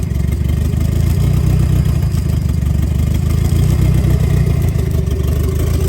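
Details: 1990 Mitsubishi Eclipse GSX, first start after intake manifold refit and top-end reassembly: steady, deep four-cylinder rumble with even beat, no knocking or misfire; engine running normally.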